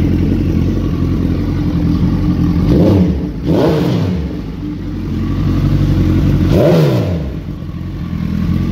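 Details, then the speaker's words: Gen 1 Hayabusa after swapping in a gen 2 radiator with double fan to fix a leaking radiator: the Chinese aftermarket water pump makes some noise; the engine starts and idles with sharp throttle blips, revs climbing and falling cleanly, running normally. "the pump is chinese unfortunately so it makes some noise let's see to start it [Music] and it starts"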